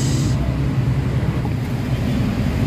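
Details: Isuzu Crosswind diesel that had weak pull, throttle delay, vibration and stalling, after XADO engine treatment: steady low rumble pulling evenly with no misses or knocks under light throttle; throttle response now much improved.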